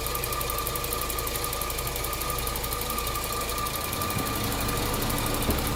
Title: Noise after timing chain done.. 08 CTS AWD